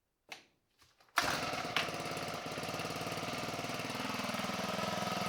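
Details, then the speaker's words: Husqvarna 324LDx hedge trimmer powerhead, 10+ years old, sat 4-6 years, after new air and fuel filters and spark plug; a few pulls then catches and idles steadily on choke, no smoke, normal idle. "there she is curring like a kitten with a choke no smoke coming out of there"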